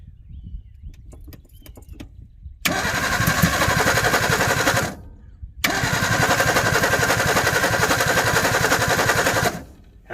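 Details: 1961 Ford Falcon Futura parked 20 years, fuel poured into leaking visible carburetor bowl; two long cranking bursts near four per second with rough chuffing but no catch; fouled spark plugs, possibly flooded.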